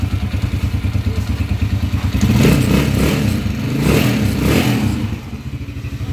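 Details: Motorcycle (TMX 155) running after overhaul replacing connecting rod, two bearings and timing gear: even low thump at idle, brief rev, settles back without knocking; normal idle.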